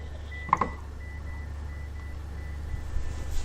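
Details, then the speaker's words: AALogic cable fault locator, aerial resistive fault, simulated computer tone: hand coil past the fault gives only a faint steady pulsed high beep, no rises or falls, signal about 2% on screen; signal lost beyond the fault. "can see now that I'm past a fault the signal is extremely low the indication on the screen right now is 2%"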